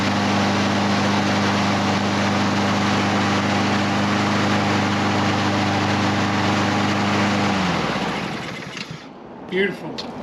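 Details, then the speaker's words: Husqvarna HU 700F walk-behind mower, after carburetor work for not staying running: steady, even single-cylinder note for about eight seconds with no surging or stumbling, then shut off; normal running. "Knock on wood, we got a good running mower. So, let's fire it up. Make sure she's uh still running and looking good."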